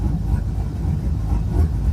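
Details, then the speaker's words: LS V8 on E85 with cold air intake, during street tune, fans on, warm idle at 160, vacuum 48-50 kPa: low throbbing even pulse with no knocking or ticking. Normal idle. "Going through there, make sure idle's all right now. Make sure I got the fans running just in case."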